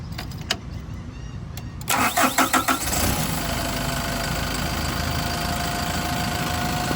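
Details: Yale diesel forklift, started with a battery boost: a few clicks, about five quick cranking turns, catches and settles into a steady even diesel idle; normal start.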